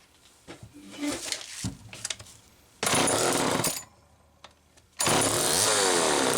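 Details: Homelite XL-2 chainsaw test run after air leak repair: after a few pulls it fires and revs in two strong, even bursts, a crisp two-stroke scream with no stumbling; normal running.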